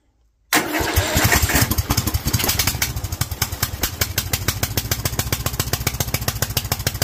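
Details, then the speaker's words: Kohler single with Honda carburetor on meth-level jet kit, revved to upper 2000+ rpm: cranks, catches and thumps lumpily with pitch-black smoke; running far too rich. "foreign well that pitch black smoke tells me that she is running way too rich so meth level kit was too much it was idling a little bit better"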